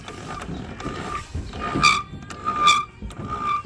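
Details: Lawn mower bought new in May 2017, rear wheels squeaking for about a year: a thin, high squeak in uneven bursts as the wheel turns. Owner suspects dry gears needing oil.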